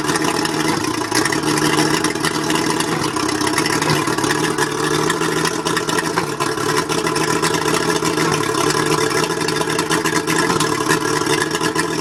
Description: A mercury 135 outboard running rough. Maybe it's the plugs.